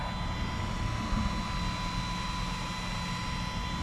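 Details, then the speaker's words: Van build DC-DC charger cooling: 30mm 12V computer fans powered through a relay after rewiring: steady whirring hum with faint constant whine, no rattle or ticking; fans running normally. "fans are running all hooked through the relay that's where the power is coming in"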